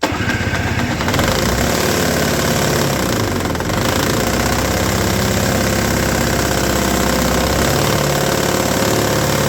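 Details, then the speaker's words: Roadside-rescued, rehabbed Toro S-200 two-stroke snowblower, electric-started, first test: high, buzzy revving with an irregular slapping clatter as the bent drum rubs the scraper; a 2x4 wedged between drum and scraper in storage was suggested to reshape it. "they take a 2x4 and wedge it between the drum and the scraper there when they're not using it helps kind of Reform it back into a shape where it doesn't slap and make obnoxious noises"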